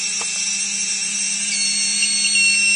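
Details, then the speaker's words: UBAD Inversion DX 250 quadcopter, T-Motor 2206 2000KV motors on UBAD 20A ESCs, Naze32 CleanFlight, props removed: high, steady, smooth whine of motors running normally before a transmitter-off failsafe test. "what I'm going to show here is what actually happens to the aircraft if we turn off a transmitter so the motors are now running"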